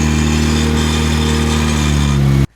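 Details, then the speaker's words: Turbo Mazda Miata NB at idle: loud harsh raspy exhaust until shutoff, exhaust manifold leaking past a stud whose threads are stripped. "I can see the threads in there because there are no threads. Yeah, there are no threads. So this is making terrible ruckus."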